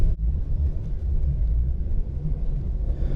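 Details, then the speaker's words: Car driving after dashboard and lower trim panels refitted with anti-noise tape on locating pins: only steady low road rumble, no buzz or rattle from the dash at any speed; interior trim rattle fixed. "常棒，无论我开多快，这个异响再也没有出现过。"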